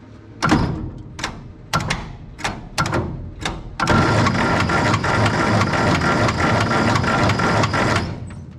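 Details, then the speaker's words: 1960 US Army 5 kW gasoline generator, rebuilt in 1963 and unused since, on battery boost: slow heavy cranking thumps, then it catches with a rough repeated knock from the front; magneto suspected. "i'll hook a battery up to it and let you hear it crank and hear that little knocky cam sound it's it's really loud and it's really bothersome to me"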